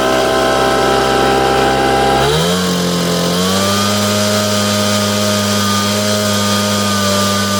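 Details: Echo PB770H blower with a hot-restart problem, after backing an adjustment screw off a quarter turn, pulled with no prime and no choke: catches at once, buzzes up and settles into a steady, even idle; hot start now healthy.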